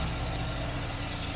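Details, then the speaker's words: 1968 Jaguar E-type Series 1½, stored all winter with a cold-start problem, after new parts were fitted: on full choke it fires straight into life and settles to a steady, even fast idle with no misfire. It wants the choke. Normal cold start. "And there we go. Fires straight into life."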